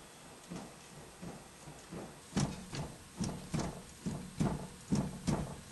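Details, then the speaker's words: Strut suspension wheel jacked up on a jack stand and levered with a pry bar under the tire: dull repeated clunks, about two a second, from a loose worn ball joint carrying the wheel and spindle weight. "You can actually hear the clunking. And the reason that is because you got the weight of the tire, the weight of the spindle, and everything resting on that spindle."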